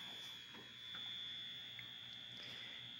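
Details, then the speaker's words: 1949 VT73 7-inch television after capacitor replacement, picking up a signal: thin, steady high-pitched whine over faint hiss; interference buzz remains though picture performs well, shield from another set to be tried. "so we see we still have that interference but uh this is actually performing quite well"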